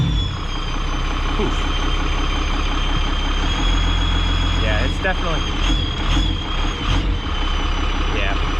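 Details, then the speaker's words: Diesel hotshot truck at idle, exhaust brake pin pulled: thin steady high whistle over the clatter, screaming only on the intake side while exhaust sounds normal; turbo possibly worn, rebuild planned. "i still hear screaming it's still screaming it's really weird cause it's only doing it on the intake side"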